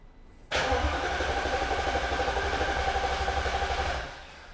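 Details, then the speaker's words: Freshly rebuilt supercharged V8 in Alpina B7, first cranking with fuel pump fuse pulled and ignition coils disabled to build oil pressure, codes and adaptations cleared: steady starter whir, even pulse about four per second, no knocks; normal cranking. "i clear the codes reset the adaptations let's hear how the engine turns over [Applause] [Music] [Applause] sounds good"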